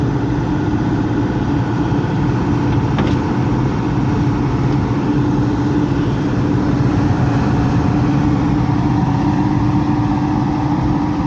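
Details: Heat pump with electric heat, top panel removed: loud steady low rumble with a constant hum that never changes speed; the blower fan wheel is damaged and cannot be replaced without tearing the unit apart.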